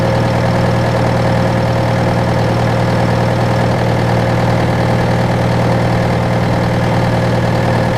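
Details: John Deere 6115M diesel tractor (about 3 years, under 1000 hours) idling after rubber fuel line replacement and electric-pump priming; deep, steady idle with even low drumming beat, no knocks or misses; normal idle.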